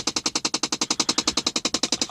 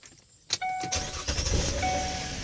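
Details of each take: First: Impala at 5 years and 160k miles: rapid, even tapping, about nine sharp high clicks a second with no engine under it, from a failed blend door (heater) actuator. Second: Impala at 160k miles, 5 years owned, after blend door actuator repair: three key-on chimes, engine cranks and settles into even idle, no more tapping/popping that occurred on every start for 3 days.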